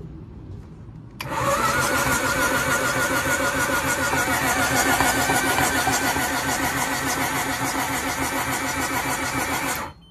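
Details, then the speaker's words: 2006 Kawasaki STX-15F jet ski, cranked by jumping the solenoid: steady even cranking, about three and a half turns a second; water in the cylinders but not hydrolocked. "listen to this yeah you got some water in the cylinders but it's not locked up"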